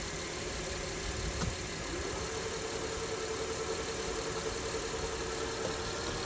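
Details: 2006 Honda Pilot whining at startup and idle in Park and Neutral only, gone in Reverse or Drive: steady mid-pitched whine, loudest near the transmission; no slipping, source not yet confirmed by stethoscope.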